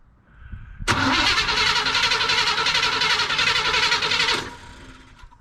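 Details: 1976 Chevy Cheyenne 4x4 long left sitting, carburetor earlier sounded flooded: cranks, catches and runs fairly evenly for about three seconds, then fades out and quits; owner suspects the old electric fuel pump, replacement pending.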